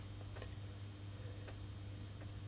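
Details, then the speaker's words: Second-hand ballast on a 400W high pressure sodium grow lamp: steady low mains hum without harsh buzz, much quieter than a noisy overloaded-sounding ballast; normal ballast hum, though the igniter may be faulty. "that's a much more acceptable hum level"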